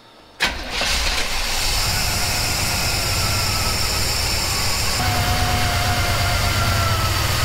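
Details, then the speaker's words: 1977 Chevy C10 V8 at the second start after a FiTech EFI install replacing the Quadrajet: a fast idle drifting up and down while the EFI does its idle learn. Next, the idle screw is adjusted to get the IAC between 3 and 10. "So you can hear the idle going up and down a little bit because it's doing a little bit of a learn."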